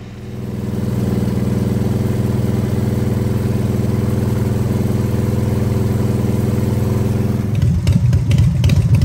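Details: Harley-Davidson V-twin with electronic ignition, after timing set with timing light: deep, even loping beat steady at raised revs, then dropping toward a rougher idle; timing mark aligned at 3:00, running normally.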